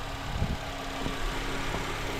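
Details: Honda Accord 2.4L K24 (2003–2007) idling just after serpentine belt replacement: low, steady idle with an even hum and no squeal, chirp or slap from the belt drive; nothing wrong.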